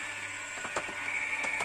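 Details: Becker R12/17 RP+ tubular motor (2010, about 10 years' use) in a Compobaie roller shutter, after replacing the motor capacitor: quiet, even hum with light ticks as the shutter travels, much quieter, clattering gone; normal running.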